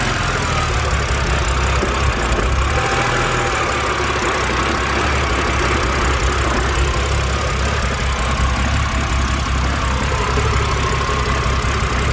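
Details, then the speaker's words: BMW N52 engine with no related fault codes: after a throttle blip the revs hunt, then drop to about 500–600 rpm with a deep, uneven, shaking idle audible in the engine. Rough idle, cause not yet confirmed. "okay so now that the uh now the revs are dropped take a look at the idle and you can even hear it in the engine itself"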